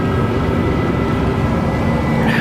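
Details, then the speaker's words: 1987 Chevy Monte Carlo SS carbureted V8, parked over 20 years, just started after a couple of gas pedal pumps: a steady, slightly raised, even idle, a normal cold fast idle that slowly kicks down. "No way. That easy. It idles a little high when you first start it."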